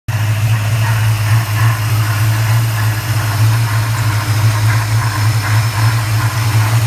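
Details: 1994 Chevrolet Caprice LT1 V8 at idle, microphone under the hood; a constant airy whoosh and faint rubbing over a deep steady idle, source not identified.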